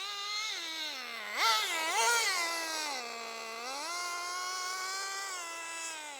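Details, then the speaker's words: Team Associated RC10GT nitro RC car, warmed up: high buzzing engine note flares up and down freely, revving without pulling, shouldn't rev like that; slipper clutch still slipping after adjustment, being wound in tighter. "yeah it's slipping can you hear it slip it shouldn't rev like that okay so we've still got slip on the old slipper clutch"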